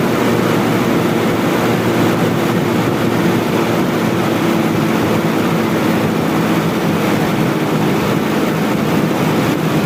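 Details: Toyota Kijang Super carburetor engine: a loud, rough, noisy run with an uneven tone during a hand-over-intake test. It is lean, short of fuel because the primary jet is too small.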